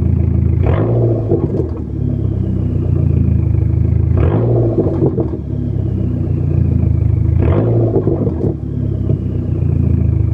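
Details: 2004 Dodge SRT-4 Neon: three rev blips, each followed by a brief buzzing rattle as rpm drops to about 800 idle, like fingers stopping a fan blade. Exhaust rattle on deceleration to idle.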